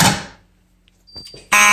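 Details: Simplex 4004 panel set to march time, Simplex electromechanical horns activated: loud buzzing blasts starting and stopping in a clean pulsing beat that sounds good; normal march-time horn signal.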